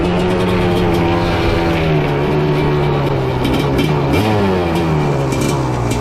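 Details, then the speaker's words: Honda TRX 310cc big-bore two-stroke quad (250R engine) running with no airbox or air filter: raspy revving whose pitch wavers and stumbles as throttle rises, breaking up at about 3/4 throttle. Owner hopes an airbox helps, otherwise it needs rejetting. "Well, it sounds like we're going to have some tuning to do on this thing once we get the airbox. It's breaking up like 3/4 throttle for sure."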